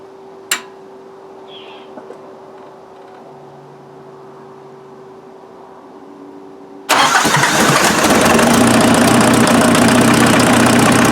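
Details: Offroad Mazda after fixing a combustion leak into the coolant, started to check whether the radiator water bubbles; a quiet stretch, then it catches at once and settles into a steady, even idle with no misses or knocks.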